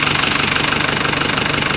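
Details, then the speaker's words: Isuzu Crosswind diesel idling right after an oil and oil filter change, no leaks found: even fast clatter, steady beat, no odd knocks; running smoother and quieter than before with the new oil. "Iba na po yung tunog niya, mas smooth na siya ang tunog niya, tahimik na. Hindi na ganong kaingay."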